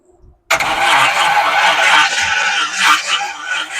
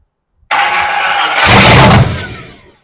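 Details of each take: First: Classic Chevy Apache truck, first start after rebuilt engine, new Holley carb and new wiring harness: slow, uneven starter churning with pulses about once a second and no firing; cranks but won't start, owner suspects no spark. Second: Classic Chevrolet Apache truck, first start after rebuilt engine, Holley 390 CFM carburetor and new wiring harness: engine catches at once with a loud roar, picks up briefly, then fades. It fires and runs.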